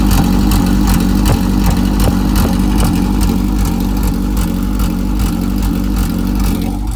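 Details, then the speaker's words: Honda Civic EK coupe with swapped JDM B18C, first start, O2 sensor unplugged. Idle chugs unevenly at about three beats a second, stumbling and surging; owner suspects unplugged sensors or a bad ISC valve. Rough idle. "You can hear it. It's idling rough as fuck."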